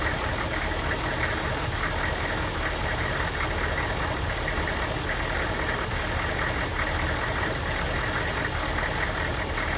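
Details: Diesel van after a Kojo aftermarket computer tune, running poorly especially when hot and barely reaching 45 mph. It idles with an uneven, lumpy beat and irregular knocks, a misfire; a stock junkyard computer restored normal running.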